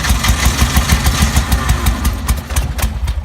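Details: 1950s Porsche 356 Speedster that was driven earlier that day: rapid irregular chuffing bursts that catch briefly then fade without idling. The engine fires but won't keep running; the helpers suspect no fuel is getting through.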